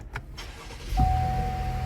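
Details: 2020 GMC Acadia that had a no-start from a blown 15 A fuse, just replaced; after a brief push-button crank the engine catches at about one second and settles into a steady, even idle with no stumble; normal start.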